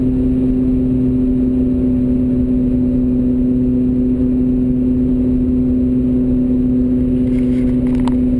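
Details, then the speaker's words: BMW E46 M3, about 95,000 miles, original bearings, at 75 mph: steady low droning hum in cabin, constant straight or turning right, eases turning left; suspected failing front left wheel bearing drone. "another way you can diagnose it is by seeing if the bearing noise has changed based upon anything that's happening with the axle so when I'm moving right or straight noise is fairly constant if I move left it actually goes away a little bit"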